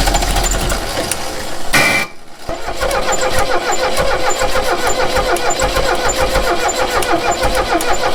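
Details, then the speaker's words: 1969 Renault 16 petrol, not run in years, on a rigged external fuel supply with fresh petrol, first start attempt: starter chugs steadily, pauses, cranks again at an even rate, but the engine never catches. "So that didn't work. Shit. Let's try it one more time with some Go Juice."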